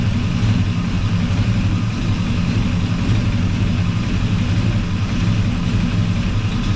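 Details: 1984 Chevy truck with a swapped 454 Gen 6 7.4L V8, still cold, timing being adjusted at the distributor: steady, even low rumble with no misses, knocks or ticking. Normal idle.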